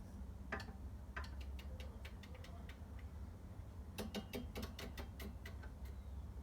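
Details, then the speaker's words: Scott Bonnar Model 45 cylinder mower, reel spun after adjusting both sides to the bedknife: crisp light ticks in quick runs, an even scissor-like kiss across the bedknife; minimal reel-to-bedknife contact, correctly set. "okay so now I've adjusted both swords and I can hear that uh The Reel is making minimal contact on both hopefully evenly across the whole dead knife"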